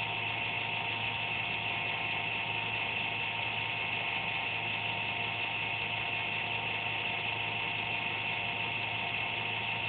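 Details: Computer making an occasional random buzz (once or twice a day), speed unaffected: a steady high-pitched buzz at constant pitch; the owner thinks it's the fan but is unsure.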